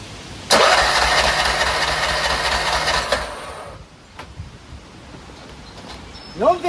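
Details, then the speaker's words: Craftsman RER1000 riding mower, on choke, after it popped like a backfire and stopped: starter churns about three seconds and never catches; no start. "I don't know what's wrong with it. It just popped like a backfire. Stop. And it won't start."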